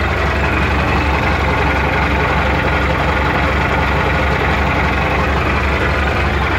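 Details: MTZ-80 tractor diesel at warm idle: clatter with dull knock roughly three times a second from intermediate support; quiet while oil is cold, knocks once warm, disappears with slight throttle; its ball bearings were replaced, PTO shaft roller bearings not.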